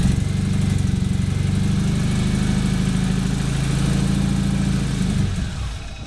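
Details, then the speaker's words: Nissan 240SX after MSD ignition install, fuel pump clogged by 8-year-old bad gas, run on sprayed starting fluid: rough low uneven chug for about five seconds, heavy shaking from misfire, then dies. Fuel starvation from clogged fuel pump. "Well, as you can see, it tried to start, but with the fuel pump being out and it's completely clogged up, it won't even pump any fuel into the engine."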